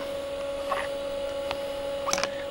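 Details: Commodore Amiga A4000/040, bought 1992, original 1992 hard drives, booting at annual test run after long storage: steady mid-pitched whine over soft fan hiss with a couple of brief clicks; normal running hum.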